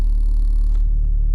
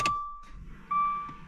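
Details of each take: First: Dodge Dart turbo build after installing stiffer Deyeme Racing transmission mount, idle just after startup: deep steady droning idle with heavy low pulse felt in steering wheel; more idle vibration than before, said to be worse with AC on and only at low RPM. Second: Dodge Dart (turbo build, new Tork MultiAir springs and Deyeme Racing mount), fuel injectors cut by flooring throttle, clutch in: even starter cranking at steady rhythm for about four seconds with chime, never catches; normal cranking without start.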